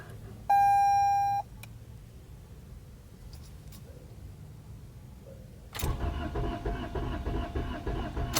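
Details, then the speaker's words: Car with an ignition spark tester fitted: a key chime, then the starter cranks steadily for about three seconds and the engine never catches. The tester shows no spark; two of the four were later found dead and replaced. Crank, no start. "Nope. It's not It's not eating. See that thin? See, it's not eating. So, it's either the coer or the product."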